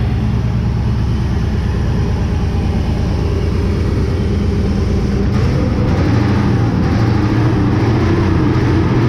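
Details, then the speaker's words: Chevy V8 start in the shop, not charging (alternator power unhooked): uneven lumpy idle that stumbles irregularly; rough running from incorrect ignition timing, plug wires also suspected. "so another thing that we might have an issue with it'd be plug wires the the chevy and Chevy's have problems with plug wires"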